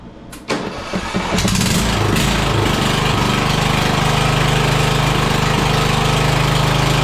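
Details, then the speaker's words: Murray 42-inch riding mower, 18.5 hp Briggs & Stratton PowerBuilt OHV with straight pipe: cranks, catches within a second, settles to a loud steady even exhaust beat; runs good. "That's a loud little lawn mower, isn't it? It's got that straight pipe over there."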